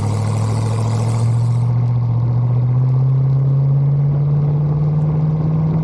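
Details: 1974 Bitter CD, Chevrolet 327 V8, warm, test drive under load after replacing HT leads, distributor cap, points and condenser: deep drone climbs smoothly and evenly with no stumble or misfire; normal acceleration, problem solved.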